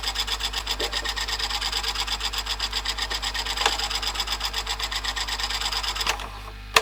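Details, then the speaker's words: Panasonic NV-HD650 VHS video recorder with high hours, after a service including mode switch cleaning, playing a tape: fast, even rasping rub about seven times a second while the tape runs; mechanism noise of unknown cause. "but that's a bit better you making that noise though"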